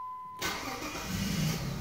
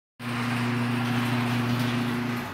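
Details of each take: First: Jeep WK/XK 3.7L V6 after crankshaft position sensor replacement: engine catches almost instantly and settles into a smooth idle, with none of the previous lag on starting; a normal start. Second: Jeep WK/XK 3.7L V6, hot restart about five minutes after shutdown: starter cranks steadily about two seconds without firing; intermittent hot no-start, never when cold, traced to a faulty crankshaft position sensor.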